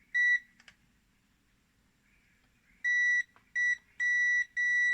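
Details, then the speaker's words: Panasonic instant water heater on dry test, no water, reed switch activated with magnetic test pen to simulate water flow, heater not yet on: clean mid-high flow buzzer beeps, one then four uneven, working normally. "Dah boleh dengar buzzer itu, bekaran belum masuk ya. Oke, dengan buzzer."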